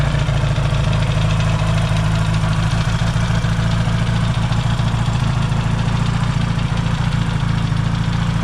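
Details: Yamaha XS650 twin after fixing its burning-oil problem, warming after a cold start, points not yet properly adjusted: deep, steady burble with even low thrum, no knocks or rattles; normal warm-up idle.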